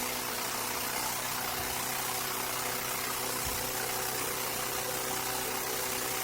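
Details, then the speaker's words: 2003 Craftsman M110 mower (11A-A2T2793), first cold start of the season after refurbished spark plug and service, no primer or choke, started in two pulls: steady, even small-engine drone, no surging or missing. "Ah, 2 pulls. Sounds good. Smooth. No surging or missing."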